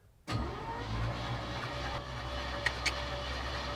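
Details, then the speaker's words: 1968 Chevy C20 pickup with a 307 V8, parked 30 years in a barn and fitted with a new battery, is cranked with the clutch in. After a click, the starter spins it at a steady, even whir with no binding or grinding. "Looking good? (engine whirring) Sounds pretty good. Okay, cool."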